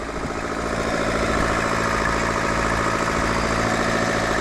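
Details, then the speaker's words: Turbo Daihatsu Mira kei car at idle: rapid, fairly regular tick near three per second giving a diesel-like clatter; owner suspects a cracked exhaust manifold causing an exhaust leak. "You hear how it kind of sounds like a diesel? I think I have a crack on my exhaust manifold, which is causing this."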